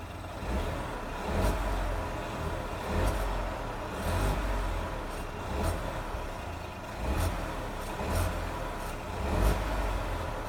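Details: Ford Fiesta 1.0 EcoBoost, turbo recently replaced: a low rumble with a rough grind that swells when the throttle is lightly feathered between 1000 and 2000 rpm. The grinding persists after the turbo change.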